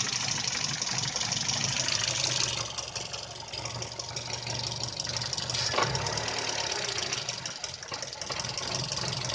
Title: VW Polo 6N Rough Idle issue